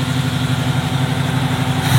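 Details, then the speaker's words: Chevrolet Camaro barn find, after fuel added: steady, even low idle with no knocks or misses, rising slightly at the end; runs smoothly and healthy, normal idle. "Kuidas on start? See on daily driver."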